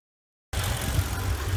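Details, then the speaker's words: Rough, lumpy idle on a Mercedes W463 G500 petrol V8, low uneven rumble surging and dipping; no check engine light, P0444 purge valve code being diagnosed, vacuum leaks being checked; cause suspected, not confirmed. "you can hear the idle is a proper lumpy lumpy no check engine light pop the hood checking for vacuum leaks and stuff like that"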